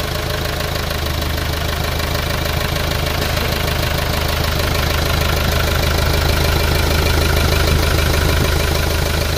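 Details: Hyundai Starex D4CB diesel with a hard-starting complaint, test-run after its four injectors were removed and reinstalled: loud, even diesel clatter at a steady idle, no misses or stumbles; normal diesel idle.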